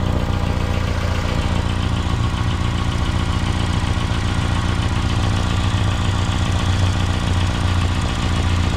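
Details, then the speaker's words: 2016 Mitsubishi Outlander at idle with a deep, uneven puffing pulse about three times a second; exhaust leak found after the sensor at the resonator, judged not a problem; spark plug gap checked OK, no oil or transmission leaks. "There is a leak, but it's after the sensor. It's with the resonator, so there's no problem."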